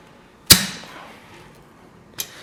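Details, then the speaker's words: Poor man's compression test on the remaining cylinders during head trial fit, valves closed: two sharp crisp pops a couple of seconds apart with clean fall-off; good compression, engine top end in good shape. "This gives us a good indication what type of shape this part of the engine is in."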